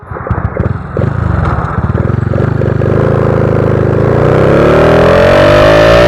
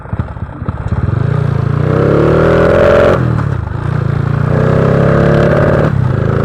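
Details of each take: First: Honda Wave 125i fuel-injected motorcycle on the road after its fuel injector was replaced to cure a rich-fuel stumble when twisting the throttle: firing pulses climb smoothly and evenly with throttle, no stumble or misfire. Normal acceleration. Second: Honda Wave 125i fuel-injected scooter fitted with a PCX150 injector and recently replaced fuel pump: revs in repeated bursts, stumbling and bogging as the throttle opens, running too rich; fix planned by changing parts instead of ECU tuning.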